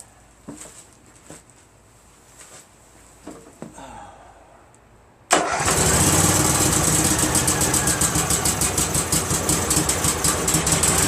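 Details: Craftsman GT6000 tractor repowered with Briggs & Stratton Vanguard 16HP horizontal-shaft V-twin, after kill switch found on; clicks and cranking, then fires and settles into steady even idle; normal running.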